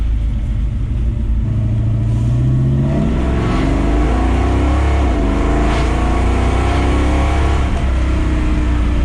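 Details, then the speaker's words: 1957 Chevrolet Bel Air, fully built V8 with three-speed automatic, cruising at low RPM: deep booming exhaust drone with a faint little rattle underneath. "you can hear a little rattling that's the Drone that happens at low RPM"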